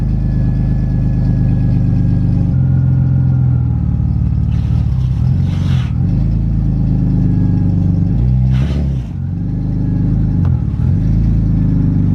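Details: BMW E36 328i on its last start with the old exhaust, crushed 3-inch pipe and no catalytic converters, before a stock exhaust goes on: deep, loud droning idle turning harsh and raspy on sharp blips; loud raspy exhaust from the damaged system.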